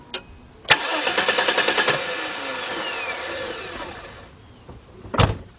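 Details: 1993 Chrysler LeBaron 3.0 no-start: starter cranks fast for about a second, engine never catches, then spins down; cranks but won't fire because the fuel pump isn't delivering.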